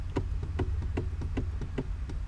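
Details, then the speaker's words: 2015 Subaru WRX shifter after a rattle fix (rubber half-circle piece glued at the pin and notch): crisp, evenly spaced light clicks as the lever moves through the gate, no more metallic bang, all gears work fine. "No more metallic bang. All gears work fine."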